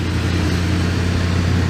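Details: Rusty 1988 Dodge B350 van, drivetrain donor for 1984 D150, engine running inside: deep even V8 burble, steady low rumble, no knocks or misses; normal idle.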